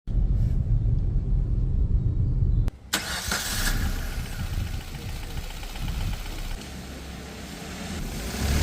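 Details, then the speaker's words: 2021 Maruti Brezza petrol, 50,000 km, engine noise noticed for a long time: cranks and catches into a rough, low, uneven knocking idle about four beats a second; mechanic suspects a bent connecting rod, before engine overhaul. "और engine के अंदर sound है तो sound तो मेरे को काफी देर हो गया नोटिस करते हुए तो मुझे जो लग रहा है और ऐसा साउंड आता है कब जब कनेक्टिंग रोड बैंड हो जाते हैं"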